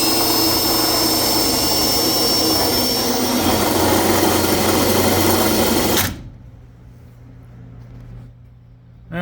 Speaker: You will find out if that's your pinion bearings are your problems or not. And guess what? It sure as hell sounded like it.